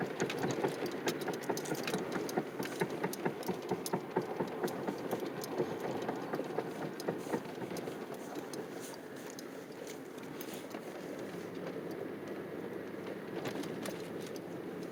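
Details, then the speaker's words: 2007 Chevy Impala after replacing the wheel bearing, rotor, caliper and pads; the car now shakes. Irregular light rattling and patter over a quiet engine while driving. The source is unclear. Rattling noise while driving. "okay it's uh still december 11th 2020 and i have this noise and shake in my car and i want to know what it is"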